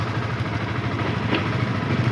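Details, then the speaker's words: Yamaha FZS V2 at 437 km, previously noisy from loose tappets and timing chain after rough running-in, after tappet and timing chain adjustment: steady, smooth idle with even low beat, no ticking or rattle; normal idle. "একদম perfect sound. Tappet adjust করা হয়েছে, timing chain adjust করা হয়েছে, সুন্দর, একদম পারফেক্ট।"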